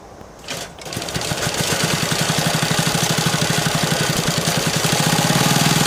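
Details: Restomod BSA with Villiers engine, not running but spun by a 3 kW brushless motor: uneven beat of about four per second, popping and stumbling without catching. Bad misfire; owner suspects ignition timing.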